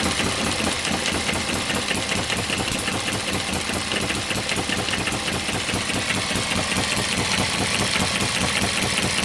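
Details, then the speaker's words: One of several model steam, Stirling or hit-and-miss engines driving a homemade Baker fan as a working load. Steady, even chuffing about 2.5 beats a second, holding firm against the fan; normal running under load. "of different engines unload as I said from the baker fan oh I can hear this in curing and working against that that sounds really impressive"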